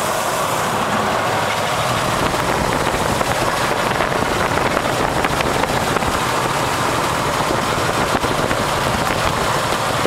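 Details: AMC 360 V8 in a 1973 Wagoneer idling steadily with a light, rapid knocking/rattling noise, heard best near the engine and from underneath; cause unknown.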